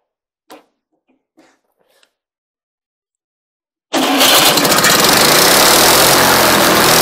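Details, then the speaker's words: Wisconsin THD twin on an antique buzz saw rig, long unused, test run after a mouse nest was cleared for cylinder cooling airflow: catches at once, settles into a loud, even, fast run with no misses or knocks; healthy. "wisconsins are great little motors very uneconomical they burn a lot of fuel but they're a great motor run run forever if you take care of them"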